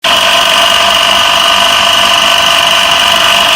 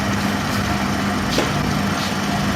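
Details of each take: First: Electric motor running: loud, steady high-pitched whirring roar with a rough edge throughout, from a loose pulley wobbling on the motor shaft. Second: Motor after repair (pulley had loosened and bent from an over-tight belt; bearing replaced, pulley re-tightened): smooth, even hum at one steady pitch, no knocking or squealing; running quietly and normally.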